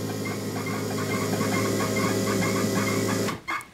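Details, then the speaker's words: Bosch K-Jetronic (Mk2 Golf GTI) CO mixture basic setting with 3 mm Allen key: quick regular injector chirping about three per second over steady hum as injectors open with air plate closed, mixture too rich; screw backed off further. "right we can still hear the injectors chirping and coming out so now we're going to do another whole turn backwards"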